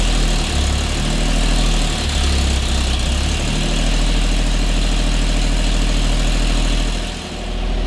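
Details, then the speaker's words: 1950 Chevy Styleline custom, old straight-six after sitting for 5+ years, running on gas poured in: a loud, lumpy idle with an uneven low throb and a dip near the end. A cut vacuum line plug may be contributing. Vacuum leak rough idle. "I definitely have a cut in one of my vacuum line plugs. I don't think that's helping my situation of dialing this thing in."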